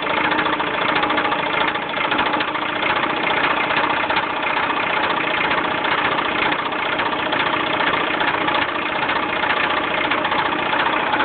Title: Mazda 6 epic rod knock